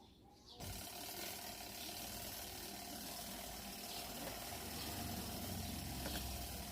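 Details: Sharp ES-TW120BL 12 kg twin-tub washer whose spin side won't turn, switch and power to the motor checked OK: a low steady motor hum under some hiss but the tub never speeds up; held by a stuck brake from a broken brake cable.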